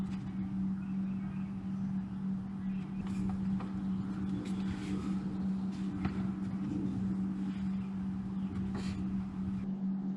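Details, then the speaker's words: Rear differential on a Suzuki Cappuccino after fitting new differential bushings and refilling diff fluid: steady road drone with a constant low hum, no clunks or thumps; the clunking is fixed. "car's all back together, and the noise is gone. Differential isn't making any more clunking noises. So that fixed the problem."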